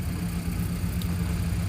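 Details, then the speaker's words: 2010 Toyota Camry 2.5L at idle with cam angle commanded near 22% on the scan tool: low, lumpy idle with an uneven pulsing beat, car shaking; misfires counted on bank 1 cylinders 1 and 2, not spark-related; smooth when revved, cause unconfirmed. "okay but it's been a super rough right now you see the whole cameras everything is shaking you see that right so super rough right now and I'm at 22% super rough"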